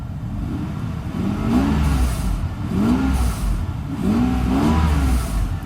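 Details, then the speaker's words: Mercedes 600SL after repaired E-gas module and throttle bodies: short blips rise and fall cleanly, rpm barely wanders at idle; normal revving. "perfectly fine doesn't even jump rpms a lot so that's good because usually they move up our PMS go up and down a little bit here and there"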